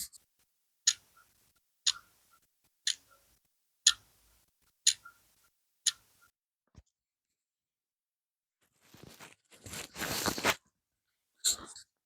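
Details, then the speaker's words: Charity-shop battery alarm clock, wireless microphone placed on it: crisp, even ticks about once a second against a quiet room; movement running normally. "Right, just played that back, and yes, we can hear it ticking."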